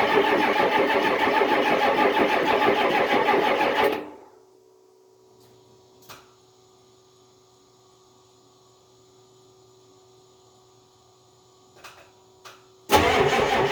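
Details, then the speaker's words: Diesel in below-zero extreme cold, batteries low and charger tied up: slow, steady cranking at about three compression beats a second for four seconds without firing, then another attempt; hard starting in extreme cold, later ether suggested. "no dice i guess i'm gonna have to boost it with the charger i just didn't want to use it it's tied up on another battery"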